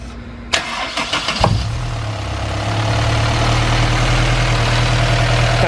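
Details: Supercharged Honda S2000 at idle on a 43°F morning: a few cranking bursts, then steady idle with a light, quick tick that barely changes with revs; doesn't sound like a lifter, sounds diesel-like, source unclear.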